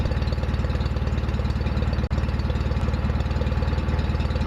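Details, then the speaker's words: John Deere 316 tractor after full restoration: engine started to demonstrate, even low thumping putt about three beats a second, steady with no misses or knocks; normal running, sounds good. "so what I'm going to do at this point is start up the RoR so you can hear what it sounds"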